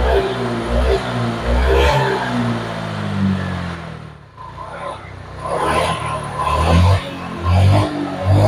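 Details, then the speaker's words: Honda Vario 125 old (Vario Techno, KZR) after fixing severe misfire/hesitation (fuel pump pressure normal, injector checked): engine blips cleanly and drops back smoothly, crisp and responsive with no stutter; normal revving after repair. "ini sudah selesai Berarti tarikan motor sudah kembali responsif"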